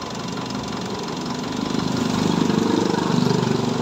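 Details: Mitsubishi Montero diesel idling after water pump replacement: steady, even clatter at about three and a half firings per second, no knocks or misses; sounds healthy.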